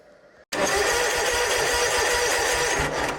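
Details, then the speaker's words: Snapper zero-turn mower, wired basic with safety circuits removed and 30-amp inline fuses to PTO and key switch: starter whirs sluggishly and loudly with dragging crank pulses even with proper wiring; worn starter needs replacing. "starter is real lagging still, and that's with everything wired properly, so it really needs a new starter put on it."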